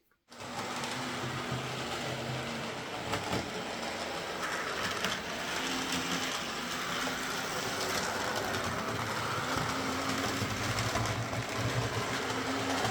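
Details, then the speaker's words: Hornby Sir Dinadan locomotive's original motor, before Peter's Spares replacement, drawing just over 200 mA: steady even buzzing whirr with a coarse rattly edge; runs rough and loud but not too bad. "Boogie off CU it was making a bit of a a rattling sound I mean some of them do"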